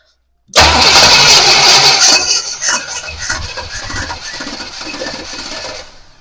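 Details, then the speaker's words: 1966 Pontiac Parisienne after an Edelbrock four-barrel carb and intake swap and a new starter, battery, module and coil: even cranking at about 160 rpm and it never catches. Flooding suspected, but spark was then found missing. ">> Sounds like it's a little flooded."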